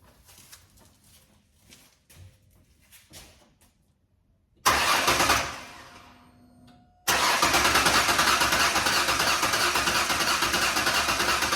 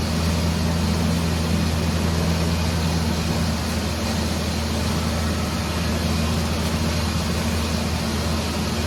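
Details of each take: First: Ford 4.0 first start after engine repair: starter cranks fast and evenly about three turns a second, never fires; crank no start, later found an unconnected wire on back of coil pack. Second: Ford 4.0 engine after repair, running after coil pack wire reconnected on third attempt: steady, even low rumble for nine seconds without stumbles or ticks; healthy idle, radiator possibly leaking slightly.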